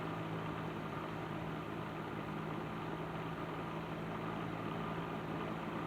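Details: Patton 12" box fan, later model with black Fasco motor, after servicing, started on low speed in window; steady even whirr and low hum, still slightly rattly but much improved, normal running.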